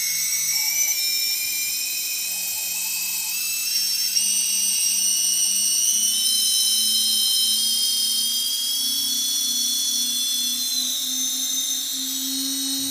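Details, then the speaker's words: UBAD Inversion DX 250 quadcopter on bench, four T-Motor 2206 2000KV motors, UBAD 20A ESCs, DAL 6040 props, battery powered, throttled up to max; smooth even whine rising in pitch, jet-like, normal healthy motor run. "now we are maxing out at 180 it's really quite testing it sounds just like some jet engine in the murders of really responsive"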